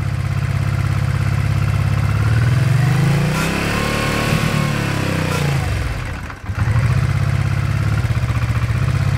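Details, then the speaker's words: 1986 Honda Shadow VT500, water-cooled V-twin, about 27,000 miles, cold before its roughly 5-minute warm-up: it chugs steadily, revs rise and wobble, then sag and nearly die. Stumbles when the throttle is opened cold. "otherwise when you try to give it gas it will just dieye on you so let me show you what happens here"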